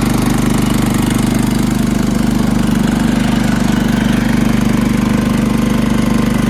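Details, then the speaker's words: John Deere LT160 riding mower repowered with rebuilt Kohler Command engine (16 hp block, 15 hp crankshaft and connecting rod), gravity-fed tank, new carburetor, cleaned mechanical fuel pump, fuel filters replaced; steady even single-cylinder beat, no misses or knocks, normal running after repair. "riding around my John Deere LT1 60 with a rebuilt colar engine 16 horsepower block the 15 horsepower crankshaft and connecting rod cleaned out the fuel pump change three carburetors and two fuel filters"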